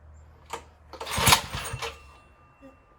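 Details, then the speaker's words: Tecumseh H35 mini bike engine after resetting the ignition timing, a little fuel in the tank and the throttle unhooked: a quick pull-cord rasp with a few sharp pops, then it dies. It fires but won't run; compression is about 70 psi. "I put a little fuel in the tank. The throttle isn't hooked up. I just want to hear it pop. Ooh, that popped."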